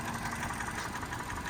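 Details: 2013 Hyundai Elantra petrol engine at idle with a fast, light, steady, even knock; piston slap suspected, not confirmed.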